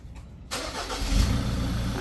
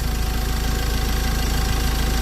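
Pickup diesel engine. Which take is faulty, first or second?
first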